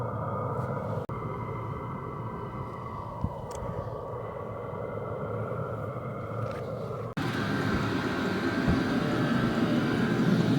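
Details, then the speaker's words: Vevor toolbox diesel air heater newly installed in an enclosed trailer, just started and warming up, exhaust audible: steady low combustion roar that swells louder partway, even burn; normal running. "So, I can feel the exhaust coming out. You could actually hear it."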